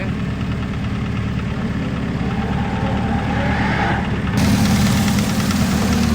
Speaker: Короче, появился какой-то стук в моторе. Короче, Сём, звук точно с мотора какой-то вот стук.